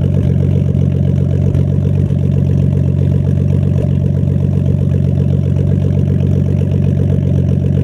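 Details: Nissan Skyline R32 with RB20DET at steady low idle, with a slightly uneven pulse and an occasional stumble. Owner suspects a slight idle misfire; the car randomly stalls at idle and while driving.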